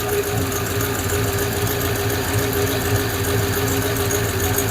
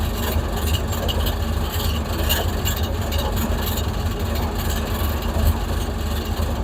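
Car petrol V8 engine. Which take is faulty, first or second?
first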